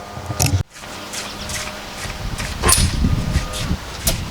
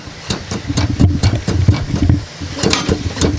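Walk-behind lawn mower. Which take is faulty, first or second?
second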